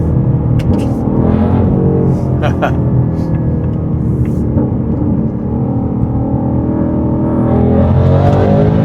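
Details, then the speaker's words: In-car hard acceleration in third gear, Whipple Stage 3 supercharged V8 Super Snake with new carbon fiber intake and larger filter boxes: steady rising engine note and supercharger whine under load, no misses or knocks; normal acceleration. "Definitely. That third gear is strong."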